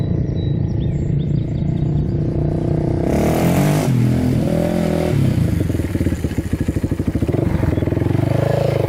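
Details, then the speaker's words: 2006 Polaris Outlaw 525 quad, gauge at 96°F; single-cylinder thump steady and rising cleanly as throttle opens, no knocks or rattles, strong power. Normal running. "all right this thing's got a ton of power you can see the gauge is working"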